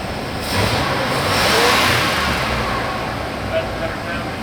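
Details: 1987 Dodge Ramcharger 360 V8 after sitting for decades, with aluminum intake swap and timing set to 10 degrees base: climbs smoothly through a free rev and settles back without misses or popping; healthy.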